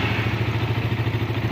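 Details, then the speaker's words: Suzuki Satria FU, started on the starter button while tracing dead-starter wiring; fault a broken yellow-green starter wire: even single-cylinder thumping about eight beats a second, smooth and steady, no knocks; normal idle. "ini motor sudah bunyi ya. Sekarang coba cek sekali lagi, saya mencet starternya sini ya, ini kontak, sekelek, pencet starter."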